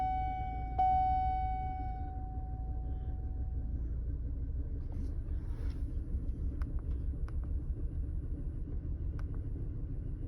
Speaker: well here tonight we've got a 2005 Chevy Colorado big 3.5 it's got a few codes in it for sure and it's missing running terrible